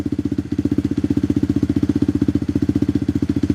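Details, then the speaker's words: Tao Tao Coleman 125 ATV just fitted with a new exhaust silencer, engine still cold: steady, even putter at a quick idle with no knocks or misses, settling down well as RPM is set. "So, that sounds pretty good. I like that little that little silencer on there."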